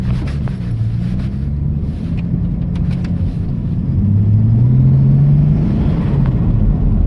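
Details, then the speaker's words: Ford ED Falcon turbo build with log manifold, T3 flange, new wastegate; manifold possibly warped from welding, gaskets blown twice; deep engine drone rising under acceleration with rough puffing edge; exhaust manifold gasket leak. "I got to say even with uh like a leaking exhaust manifold it's actually quite bad now it sounds like [ __ ] but"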